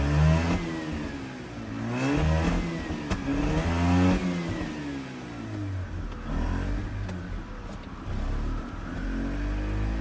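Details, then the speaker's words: Mazda RX-8 rotary, about 129,000 miles and likely never rebuilt, which stalled while parking with the check engine light flashing. Revving gives uneven stumbling pulses and dropouts: misfiring. Owner suspects worn apex seals. "This is definitely not good. As you heard, it's doing some misfires."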